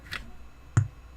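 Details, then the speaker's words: Apple HomePod, unplugged: single loud low thump against a quiet room; suspected DC offset from failing amplifier DC filter capacitors reaching the subwoofer, needs fixing before it fries the speaker. "Oh yeah. Yeah, that's got to get fixed. If it's that loud, then you definitely want to do something about it."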